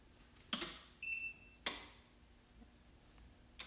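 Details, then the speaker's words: EcoFlow Smart Home Panel starting a recharge of a Delta Pro: crisp single clicks about a second apart and one short beep as the relay pulls in normally, before a slow charging ramp-up. "You give it a second, you should hear it click."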